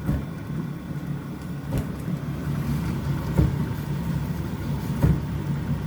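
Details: Electrolux inverter dryer TDH3497RDW, which turned on but its drum didn't spin due to a broken belt, after repair: low steady motor hum with a soft thump as the drum turns about every second; running normally.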